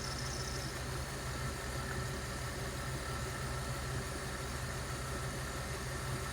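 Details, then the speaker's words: Jeep Grand Cherokee ZJ 5.2 at idle: thin high whistle over steady idle, a squealing worn V/serpentine belt; baby powder gives a temporary fix, belt replacement is the real fix. "Aracınızın V kayışından böyle bir ses geliyorsa geçici çözümü çok basit."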